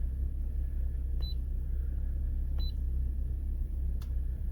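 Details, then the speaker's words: 2010 Volvo XC60 with reduced engine performance, P050B/P2118, rough running and stalling on cold starts after a battery drain, restarted warm: low, even rumble with dash chimes, no stumble or misfire; normal warm idle, throttle body cleaning planned. "so this won't be a cold start because the engine is warm already it's started absolutely fine"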